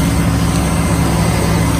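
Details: 2003 Chevy Silverado 1500 with a no-crank, no-start fault, started with a wire jumped to positive: a smooth, steady low idle with an even, unbroken hum and no misses. Possible faulty wiring or neutral safety switch. Runs normally.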